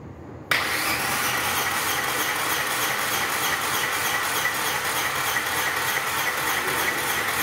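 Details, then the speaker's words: 2017 Renault Logan three-cylinder misfiring, no idle, hard starting: steady starter cranking with even chug about three per second during compression test; this cylinder reads normal 150 psi, another reads 30 psi from a broken head valve. "lá desculpa o vídeo longo viu para poder ver certinho tá ó lá 150 psi tá problema no motor por isso que o carro não tem lenta tá falhando"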